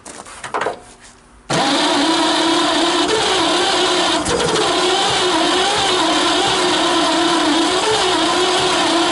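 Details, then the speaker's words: 1928 Franklin, off the road 71 years, first start attempt: starter churns steadily at a slow, even beat but the engine never catches. Cranks, won't fire; owner suspects valves not seating or exhaust blocked by mice. "She's trying hard, Charlie. It's close."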